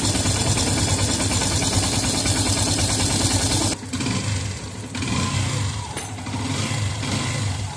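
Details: Yamaha FZS v3 single-cylinder after timing chain replacement and timing set to the mark: a steady, even idle beat with light blips and no chain rattle or ticking; it is running healthy.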